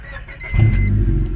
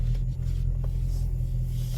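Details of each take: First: 1999 Honda Civic EK just after replacement catalytic converter installed and codes cleared (P0420 had been set); quick crank, catches and settles to smooth idle, much quieter than before with no exhaust rasp; normal start. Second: 1999 Honda Civic EK before catalytic converter replacement, not fully cold after sitting in sun; heavy deep drone with uneven throaty pulse, exhaust noticeably loud, possibly a leak; loud exhaust at idle.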